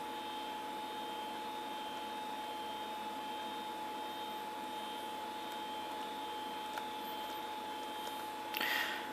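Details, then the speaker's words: SyQuest SparQ external drive, unused 17 years, reading installer files: soft steady hum with thin constant whine and brief faint click; normal drive operation, though it later kept freezing the computer. "it's going to the external drive which is humming away as first breaths of life to retrieve the actual installer files I bet listen to this thing sounds like an old Max"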